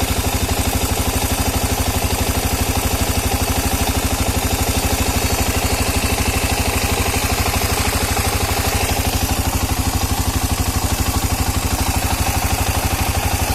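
A sharp, evenly spaced knock, about three per second, rides over the idle and stays steady throughout, a clear internal engine knock.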